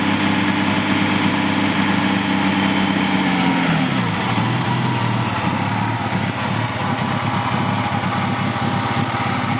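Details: PGT-ZE at idle with a misfire: the idle stumbles unevenly, then sags and shifts without settling into an erratic hunting idle. The cause is unknown, and the owner wonders about a vacuum leak.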